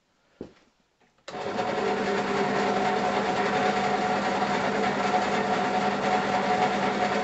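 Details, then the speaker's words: Draper pillar drill (drill press), owned many years, motor running before noise-reduction mod: loud even buzzing hum with steady pitch and tinny rattle, likely from the thin pulley cover; quite noisy. "it's not the best drill in the world but it does work and i've had it many years and it gets the job done it is quite noisy if i turn it"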